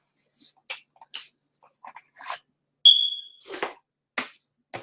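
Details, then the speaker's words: Home-alarm-system smoke alarm that keeps beeping even when unplugged or with battery removed: single short high chirp among room noise; smoke alarm chirp, possibly needs new battery, cause unconfirmed. "Can you hear my smoke alarm beeping? I still can't figure out how to undo it because it's one of those like home alarm system ones that doesn't, even if you unplug it, it doesn't want to stop beeping."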